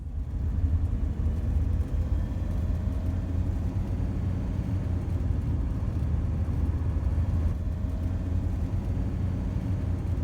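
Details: Howling or humming noise at 50 mph highway speed, heard as a steady low droning howl under heavy road rumble while cruising; turned out to be a lucky, possibly easy fix.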